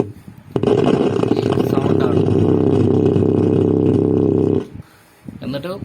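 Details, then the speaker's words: Onix 2.1 home theatre with no display: after removing the burst 2030 amplifier IC and regulator IC, a loud steady droning roar still fills the speakers for about four seconds at power-on; an overheated, burnt resistor on the board is suspected next. "ആ sound തന്നെയാണ് വരുന്നത്."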